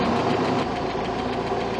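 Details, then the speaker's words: 1967 Starcraft Holiday boat, 120hp Mercruiser IO four-cylinder (Iron Duke), running after fine tuning with timing set about 7–9 degrees: fast, even top-end ticking over rough idle from one cylinder; suspected stuck lifter or misset valve lash. "Only thing that concerns me is you guys can hear that ticking noise. It's one of the valves. I think it's one of the lifters."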